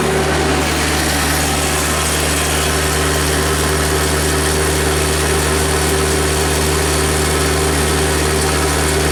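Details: GEHL skid loader with a Kubota diesel, a crank no-start after a recent engine swap, now started after the fix: a steady, even idle with a deep constant drone and no misses or stumbles, running normally.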